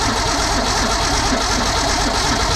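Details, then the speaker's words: 1962 Ford Econoline with 200 six, new factory-type mechanical fuel pump fitted, first crank: engine catches and settles into a steady running note with no stumble or misfire; pump now feeding, normal start. "Come on, baby. Okay, we got a pump again."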